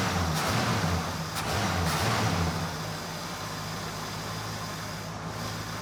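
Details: 1982 Ford LTD Crown Victoria stock 302 V8 with vapor lock problems, after in-tank fuel pump install and adjusting over-advanced timing: even idle with steady low rumble settling to a quieter note; idling smoothly.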